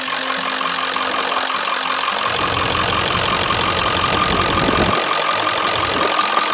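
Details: 1996 Ford F350 7.3 Powerstroke turbo diesel dually, first start after a DIY fuel line leak repair: catches and settles into a steady diesel clatter at idle over a hissy background, no miss or stumble; normal idle.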